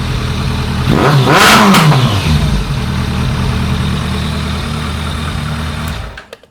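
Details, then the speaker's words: 2001 ZRX1200R carbureted engine after carb tuning: revs climb then stumble and break up near the top; cause was a forgotten bolt sealing rear to front air box, leaving a big gap – intake air leak. "I don't know why it sounds like she wants to break up under higher throttle. That does not make any sense to me."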